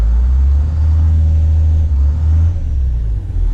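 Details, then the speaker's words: Skoolie bus diesel, investigated for low power and now running before warm-up and test drive: steady smooth low rumble with no knocks or misses, and the turbo is now audible where it was not before. Sounds healthy. "I can actually hear the turbo. See, I couldn't even hear the turbo before."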